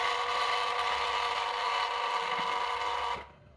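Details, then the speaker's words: SUN SUN HBL hang-on aquarium filter pump: loud steady buzzing rattle that cuts off sharply when switched off; air lock, air drawn in because the outlet valve is opened too far, low water level also a possible cause. "kêu to này thì một phần là nó bị cái lượng lượng n lượng khí mình mình lấy nước ra này cái đầu ao đầu ao ra này quá lớn nhá các bạn chú ý nhá"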